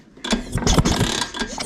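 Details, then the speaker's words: LML/Vespa hybrid project scooter, no-start: ratcheting kickstart clatter as the engine spins over in short bursts but never catches; plug spark test shows no spark, and a different spark plug also gives none, pointing to dead ignition. "So I suppose a moment of truth. Let's see if it sparks. Whoa! No, it doesn't. Typical. Okay, let's try a different spark plug. In case it's the plug."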